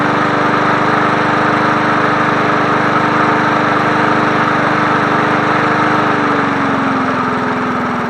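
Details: 1980s John Deere NO20K push mower, free runner cleaned up for sale, final startup on choke: steady fast single-cylinder buzz easing slightly near end, even firing; runs healthy.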